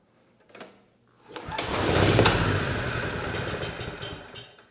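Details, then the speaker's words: Beacon (Generac-made) portable generator, rusty, history unknown, first pull: engine catches, roars about three seconds, then dies; light didn't come on, owner thinks it wasn't spinning fast enough and will add fuel to the cylinder. "not too bad the engine it sounds good and I think it just cleared a bunch of junk out of that exhaust but I didn't see the light turn on and I think it's because the engine wasn't spinning fast enough"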